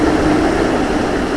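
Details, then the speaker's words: Air handler with a newly installed blower motor, belt tightened, at first start-up: a steady whoosh of moving air and a mild hum at even pitch, with no squeal or rattle. It is running normally. "But anyway, my air handler is up and running."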